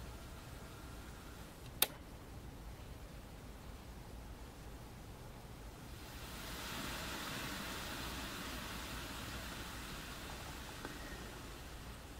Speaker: and then i'm going to turn the preamp off and you'll hear a noise artifact the same type of noise artifact you just heard upon turn on a few seconds after i turn off the preamp